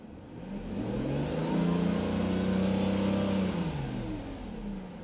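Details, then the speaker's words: Mercedes S600 V12 with repairs nearly complete: smooth, clean rev that rises and settles evenly with no knocks or misses. Healthy engine rev. "should we have fun with that see what she sounds like because right now can you hear that man she sounds so good"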